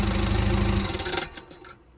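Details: Nissan Navara D40 diesel: quick clattering chatter as the engine shuts off, then fading; traced to a damaged dual mass flywheel, about an inch of play, plus worn gearbox.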